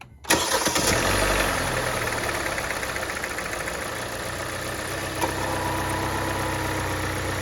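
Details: 2018 Kia Forte after compression test and new spark plugs, coils and fuel reconnected: quick crank, catches at once, smooth steady idle with no misses or knocks; healthy start.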